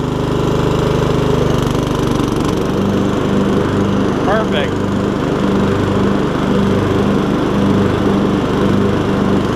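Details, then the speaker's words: MTD Yard Machines riding mower after a transmission swap from a parts mower, blades engaged on a test drive: steady engine drone with soft even pulsing as the deck spins up, no knocks or grinding; runs clean under blade load, variable speed working. "there we go nice and smooth too I like it let's see if the blades will work"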